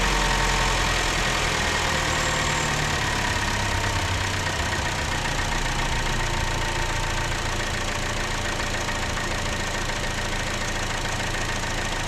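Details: 2015 Chevy Cruze 1.4L after replacing intake manifold and valve cover for a lean code, codes cleared: steady even idle, smooth low hum, no misfire, stumble or hunting; fuel trim near zero; normal idle after repair.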